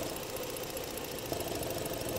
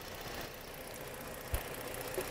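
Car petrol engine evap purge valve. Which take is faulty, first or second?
first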